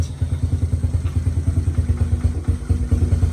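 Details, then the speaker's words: Honda Fatcat after carb cleaning, fresh gas and new plug, first run in about a year: low, lumpy idle with uneven firing and occasional stumble; engine still cold, choke off, idle possibly set too low. "Might have it idle too low. But it's still kind of cold, and the choke is not on right now, so give it like a quarter of a turn."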